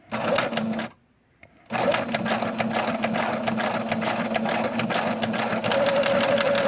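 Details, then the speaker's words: Sewing machine sewing just after cleaning glitter residue and oiling: loud, uneven, fast rattling clatter at about two per second over the motor hum. Stitching is better but the clattering source is unknown. "It sounds horrible, but it's actually doing a much better job."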